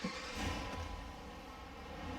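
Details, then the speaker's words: Jeep Commander 5.7L Hemi V8 after replacing the VVT solenoids and cleaning with brake cleaner. The cold engine fires right away and settles into a steady, even rumble with no misfire and no check engine light. "So as you guys can hear, she fired up right away real quick."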